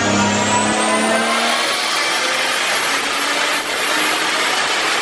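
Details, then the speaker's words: Turbocharged Lexus IS300 after boost and fuel tuning, second fuel pump switched on only above about 3000–3500 rpm: hard pull with turbo whistle climbing to a high whine, strong and even, no misfire or flutter; normal turbo pull. "yeah runs like maniac and turning the pump on later you can hear like right now yeah so much it's awesome"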